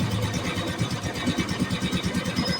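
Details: Yamaha Mio Sporty single-cylinder scooter after oil pump repair, oil flow confirmed good: steady, even idle putter with no knocking or rattle; sounds healthy.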